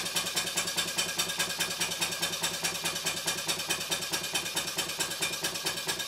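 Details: Stuart 5A or S50 model steam engine on the bench, run on compressed air from a Bambi BB50D compressor switched off before the run: crisp, even, hissy chuffs about 2.5 per second, no knocks. Normal, healthy running.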